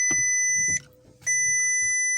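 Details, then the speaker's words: 2004 Porsche Cayenne S, 228,000 miles, bought cheaply, key on in a quiet cabin: two clear high chimes about 1.5 seconds apart as the cluster cycles air suspension and seat belt warnings. Air suspension fault warning chime. "Air suspension, seat belt, air suspension, and then it's constantly back there."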